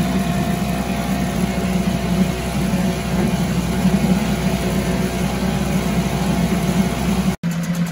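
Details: 1974 Mercury 4 hp single-cylinder two-stroke outboard with Thunderbolt ignition, warm restart without choke after 45 minutes: steady buzzing drone at even speed, no stumbles or surges, brief cut near end; runs like a top, normal running.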